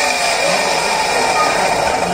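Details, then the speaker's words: CRI Virat series 1.5 HP green centrifugal pump, 2x2 inch pipes, brought in for noise: loud harsh rushing-grinding roar over steady motor whine; rear motor bearing found fully damaged, to be pulled and replaced. "तो इसके bearing ख़राब है, तो हम इसके खोल के इसके बैरिंग चेंज करेंगे।"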